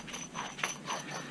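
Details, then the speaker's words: Chevy Trailblazer front hub bearing, removed and spun by hand: dry, gritty clicking with a rough, uneven rhythm and felt tightness; the bearing is dead and is replaced with a new one. "So, that is your old bearing before you got too far. Oh, yeah. I mean, you can Oh, you can feel the [clears throat] tightness in that. You can even hear it."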